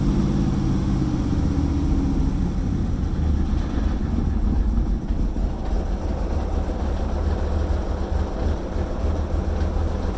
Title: Oil Pressure Reading at Rough Idle